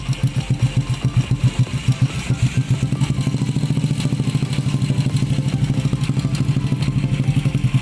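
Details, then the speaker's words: Honda Supra X 125 at idle before valve adjustment: a light quick ticking riding on each beat from loose valve clearance. "Secara kebetulan, sepeda saya menunjukkan tanda-tanda berdetik. Jadi saya ingin membongkarnya dan menyetel katup-katupnya. Katupnya longgar, bro."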